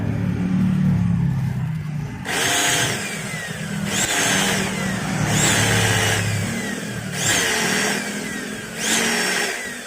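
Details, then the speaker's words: Maktec MT90 angle grinder tested in short bursts with the worn upper pinion gear removed: harsh, scratchy whine like rubbing between armature and stator with changed vibration, from a badly worn armature bearing. "Nah suaranya masih terdengar kasar dan seperti gesekan juga ya antara armatur dengan gulungan stator dan ini terasa e getarannya juga berbeda"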